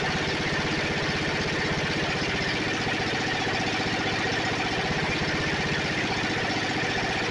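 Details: Snapper 28" riding mower, 12.5 hp Briggs & Stratton single-cylinder, hard-starting: after grounding coil with a screwdriver at the kill ground wire location, steady, even idle chug with no misses or stumbles; runs smoothly.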